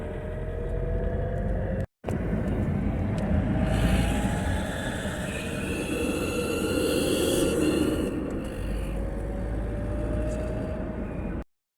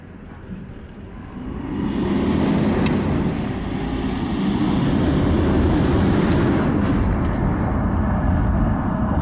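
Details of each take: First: 2007 Toyota Hilux 2KD diesel after timing and alternator belt replacement, accelerating: intermittent whistle to shrill squeal rising as it pulls, seemed from air intake; points to a leaking turbo exhaust gasket. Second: 2007 Toyota Hilux 2KD turbo diesel on a road test after fixing an intake whistle near 2000 rpm: steady engine and road rumble with no whistle; noise gone and the truck responds better.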